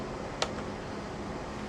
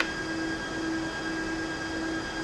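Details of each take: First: HP 5900AF-48XG switch after the fan airflow direction was set to port-to-power to clear the FAN_DIRECTION_NOT_PREFERRED error on slot 1: an even, steady airy fan rush with no ticking, rattling or whine, normal fan noise. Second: HP 5900AF-48XG switch with the fan airflow set to power-to-port instead of the preferred port-to-power, triggering FAN_DIRECTION_NOT_PREFERRED on slot 1 and risking overheating: a constant high-pitched fan whine, fans running at full speed.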